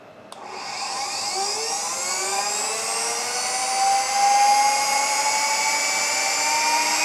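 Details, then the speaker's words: 45,000 RPM high-speed ID grinding spindle on a newly acquired grinding machine, air-cooled with a rear air filter pulling air through the spindle; thin whine climbs smoothly to a clean, steady high scream, no rattles. Normal running, seems in good shape. "it pulls air through the spindle to keep it cool and I guess to keep the chips out of the spindle itself sounds like a rocket ship taking off seems to be in good shape"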